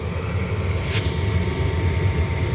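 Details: Lennox/Ducane furnace after replacing a pressure switch that kept opening (new 0.70 spring): the draft inducer gives a steady, even low hum with no rattle or squeal, running normally.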